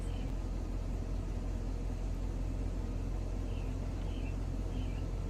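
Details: Chevy Silverado idling during an engine-running EVAP purge/vent test after a P0446 diagnosis pointing to a faulty fuel tank pressure sensor: steady, even low rumble with no misses or knocks, idle changing as the purge opens; engine healthy.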